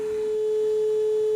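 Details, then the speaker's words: Aussie signal tracer board on a 9.2 V supply drawing about 30 mA, low setting; a clean, steady tone near 440 Hz with no hum, crackle or dropout, the board amplifying properly. "so it does as you can hear it does work and I'm very happy about that very happy indeed"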